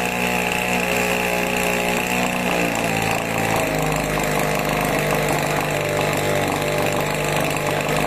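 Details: 26cc two-stroke pest-spray engine, started on choke at about 45–50% remote throttle: a high, buzzy note drops and settles to a lower steady speed after a couple of seconds once the choke is off, running smooth and even.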